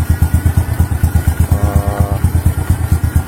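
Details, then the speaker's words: Motorcycle that would not idle, after the leaking, hollow intake manifold was fixed with the idle setting unchanged: even, steady thump about five or six beats a second with no hunting or stumbling. Idle is back to normal. "Teman-teman, mesinnya sudah menyala, sudah normal kembali. Langsungnya juga normal."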